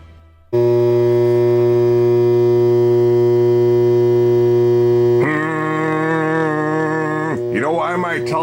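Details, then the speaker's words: Blonder Tongue CAMS60 BTS stereo TV modulator feeding a television: loud steady low hum with buzzy edge, hum bars and noise, because the modulator's output signal is bad; mains hum in audio, repair pending. "my television is humming because the signal getting input to it is bad really bad"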